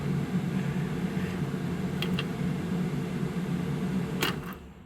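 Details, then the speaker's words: Humvee HMMWV with a newly installed ignition switch, key turned on. A steady low fan hum runs evenly, then fades as power drops; the fan runs normally on ignition power. "So, when I have the fan on, so you'll hear the fan. So, when I turn the ignition, Suzuki ignition on, we have fan."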